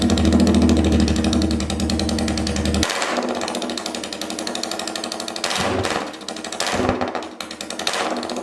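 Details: Royal Enfield 350cc Bullet single on a freshly made custom open megaphone exhaust, recorded indoors where it echoes. Loud, rapid, even thump with throttle blips; crisp and healthy running.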